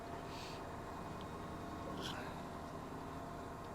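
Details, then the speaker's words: Washing machine after fill valve replacement, reassembled and spinning, slightly unlevel on the floor: low even hum with no grinding, knocking or squeal; quiet, normal spin cycle. "so I'm quite happy with that now all back together that's the unit spinning very quiet as you can hear"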